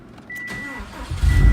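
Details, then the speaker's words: Normal start on a 2007 Subaru STI with Accessport v2 and 91-octane base map, low wastegate, no check engine lights: brief starter whir, then the engine catches promptly into a firm low rumble. Owner notes turbo seals starting to leak. "Car fires right up. It runs good. It pulls real good."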